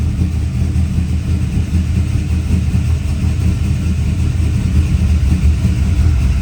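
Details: Silverado V8 with earlier low oil pressure, now reading higher, possibly about 60 PSI versus 30 before: steady, even low rumble at idle, no knocks or ticks; sounds healthy.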